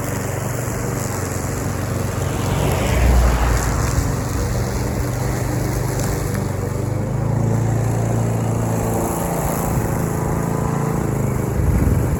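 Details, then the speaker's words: Troy-Bilt TB230 self-propelled mower, Briggs & Stratton single-cylinder engine, after tune-up and deck cleaning, cutting grass: steady drone that dips and recovers under load, no misses or rattles; runs healthy. "so by anyways got the deck all cleaned out I'll flip the mower back over and go ahead and cut some grass with it"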